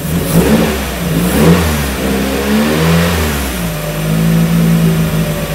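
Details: 1994 Miata NA with 2000 NB engine, first start on Megasquirt and EDIS-4 ignition, 4-2-1 header, Yonaka exhaust; rich at first until VE table leaned; revs swell and fall then settle to steady even hum, clean firing: smooth running.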